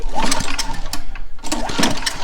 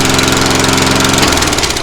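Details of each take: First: Lawnmower after a deck swap, with a new carburetor and fuel line, started with the muffler left off: it stumbles, catches, then settles into a harsh, sharp popping bark like a dirt bike. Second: Lawnmower after a new carburetor and fuel line were fitted: an even, rapid single-cylinder putter with no knocks and much quieter than before, no longer ear-piercing. Normal running.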